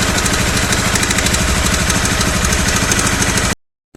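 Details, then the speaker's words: Honda CBR250R single-cylinder, cam chain tensioner last serviced about 10,000 km earlier: running under throttle with a light metallic ticking on the beat, a rattling noise since the day before. The worn cam chain tensioner was replaced as the fix. "ഇപ്പം ഇന്നലെ മുതൽ ഭയങ്കരമായിട്ടൊരു rattling noise ഒക്കെ കേൾക്കുന്നുണ്ട്."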